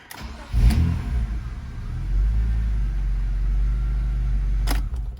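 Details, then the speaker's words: 1998 BMW E36 M3 with a hot no-start issue, MAF unplugged after an idle hose popped off: engine catches, revs cleanly and settles to a steady even idle; cam sensor replacement was the fix, running perfect. "so it runs abso freaking lutely perfect"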